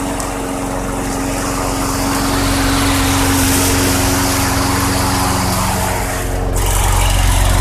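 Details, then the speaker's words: 2006 Craftsman 917.376160 push mower with 6.75 hp engine, found roadside and rusted out, running on 90-octane ethanol-free fuel with a suspect primer bulb: steady, even single-cylinder beat, no misses or knocks; engine great though the deck is not reusable. "unfortunately the lawnmower itself will not be able to be used again because it is really really rusted out but the engine is great"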